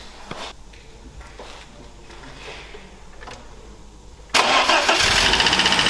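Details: BMW E30 318i with M40 engine, previously running on three cylinders, after repair: after a quiet stretch it fires right up and settles into a quick, steady, even run with no misses or knocks; normal idle, needs warming up to relearn.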